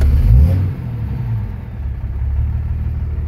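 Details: 2006 Dodge Ram 2500 Cummins diesel with 48RE automatic, after sitting a month: in gear at a stop the engine lugs hard to about 700 rpm, black smoke, EGTs near 800, deep labouring rumble; owner suspects a broken or failed sprag in the transmission.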